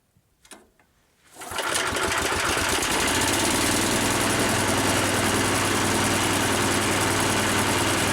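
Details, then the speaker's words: Harbor Freight V-twin air compressor pump, new replacement for a seized pump, first start-up without intake filters: fires and settles into a loud even pumping beat near 220 a minute, louder as pressure builds; sounds different, normal. "I don't know if you can hear on the camera but it's actually building on pressure I hear it getting much much louder it actually sounds different too"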